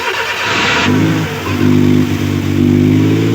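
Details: Suzuki F6A electronic fuel injection engine with hard starting and low power, bogging on acceleration; revs sound flat and uneven, hesitating under throttle.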